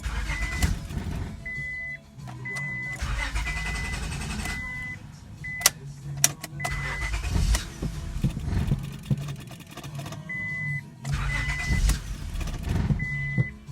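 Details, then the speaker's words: 1999 Honda Accord V6: the engine catches, sputters and dies repeatedly, revs never holding steady, with a chime beeping between tries. Stalling caused by a failing ignition switch (electrical part behind the key cylinder) cutting power; fixed by replacing the switch. "okay watch this guys this is what happens when you have a bad ignition"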